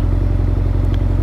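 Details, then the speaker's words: Yamaha XJR1300 with manual choke and twin exhausts, on a pre-collection test ride: quick, even low idle ticking over at about 1200 rpm with no misses or tapping; normal, healthy idle. "Ticking over a nice 1200. It is a manual choke on this one."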